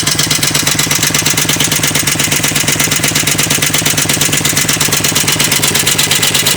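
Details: 2004 Harley-Davidson Ultra V-twin idling with a sharp, regular clattering knock over the engine beat. It is a recurring noise, also heard earlier in Arizona. The owner suspects a lifter or compensator nut; not confirmed.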